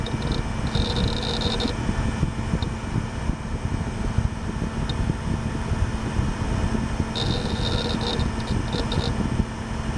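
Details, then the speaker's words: Gateway LP Mini Tower KAD K7-700 (AMD Athlon 700 MHz): steady low fan hum with occasional short bursts of high hard drive chatter. Drive and fan running normally. "I just love the sound that that hard drive makes. Can't even tell you."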